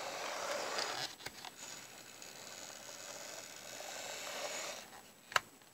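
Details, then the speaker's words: 1970s Bachmann F9 eight-wheel-drive model locomotive after restoration, test on track: quiet, smooth, high-pitched motor whir with no grinding or stutter; runs much better than before. "that is a very satisfying result wasn't it didn't run but it just runs so much better now"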